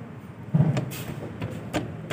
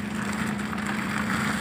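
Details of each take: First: Maruti Alto 800, not old, arm worked by hand: dull, uneven clunks, about five in two seconds, loud suspension noise when driven; worn lower control arm pin joint, cut at both points. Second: Maruti Alto 800, steady idle after suspension repair; previously loud noise from underneath when driven, now front suspension silent with no knocks, clunks or squeaks: quiet suspension after repair.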